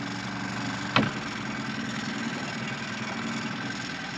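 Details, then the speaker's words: Idle of the 15 hp gas kicker outboard on a 1993 Duckworth 24' Magnum jet boat, just after a choked start; smoke, likely from winterizing, has cleared. Quiet, even low idle with a steady pulse and one handling knock; running really nice. "There we go. Cleared out. Running really nice."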